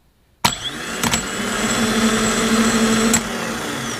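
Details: Starter motor from a 2000 Jeep Cherokee XJ, out of the vehicle on the bench powered by a jump pack, after sitting; sharp click then steady even whine with no grinding, starter now working, owner suspects dirt or brushes from sitting.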